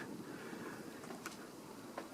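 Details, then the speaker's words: c.1989 Homestead Universal 52" ceiling fan, spinner motor, bearings formerly bad, after oiling with liquid bearings oil: soft even hush, faint air movement, no grinding or ticking; quiet ceiling fan motor bearings. "And that it's that stuff takes a while to work, but once it's really gotten into the bearings, it does do a pretty good job because as you can hear, you like can't even hear it anymore."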